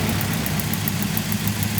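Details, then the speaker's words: Lumpy uneven idle of a 30-year-old Nissan 240SX; after injector replacement, unplugging cylinder four still changes nothing, so it still misfires, possibly another bad used injector from an S14. "See, so we still have no change with cylinder four. That's a bummer."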